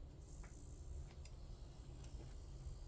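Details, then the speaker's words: Noisy slow motor after cleaning the bearings and spring, before lubricating and oiling: low, steady hum with faint high whine, no rattle or grinding; smooth quiet motor run. "can you tell the difference that simply comes from cleaning the bearings and cleaning the spring"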